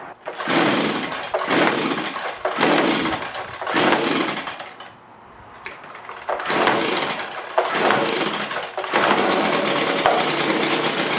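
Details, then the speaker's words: Echo PB265L backpack leaf blower, like-new, two-stroke: revs surge, sag and nearly cut out, then pick up; hard to start, runs only on choke then quits suddenly. Faulty carburetor, later replaced. "so I'll start it up again as you can see it'll run for a while then just cut out quickly it's really hard to start though too so that's all that's happening with it it will only run on the choke and then it'll rev up and then quit all of a sudden"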